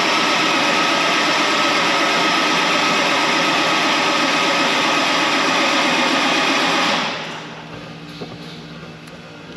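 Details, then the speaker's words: Tractor 8320 diesel with a freshly rebuilt engine, after priming and filling the filters: steady fast cranking for about seven seconds with no firing; the injection pump was out of time, though not by much. "all right so jared has determined that this injection pump was out of time it wasn't that far out of time"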